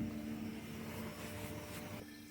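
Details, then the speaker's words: 1990 Nissan Fairlady 300ZX Twin Turbo: the electric fuel pump is run by bridging relay terminals 3 and 5 with the key off, to empty the tank. A steady, even hum with a faint whine shows the pump running normally. "so it's the pump going the ignition the key does not need to be on so if we bridge that that keeps our pump going"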